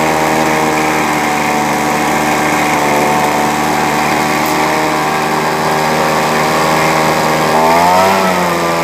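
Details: Two-stroke leaf blower that would not start, started using deodorant spray in place of starting fluid: buzzes at steady high speed with a brief blip, running evenly.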